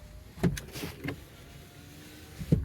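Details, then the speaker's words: 2009 Honda Odyssey, other windows dead from all switches; after fitting a used master window switch with the same part number, short smooth motor hums about half a second each, soft thumps at the stops, no grinding. Windows work normally. "so let's test it out here hey windows work okay"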